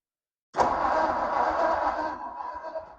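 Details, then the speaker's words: 1957 Ford Thunderbird automatic, parked about 60 years, in neutral: slow, labored cranking that drags and fades after a couple of seconds without catching; battery sounds a little low on voltage. "all right it's going to crank awesome well that battery sounds a little low on the voltages maybe next step I will get a battery charger out put on that"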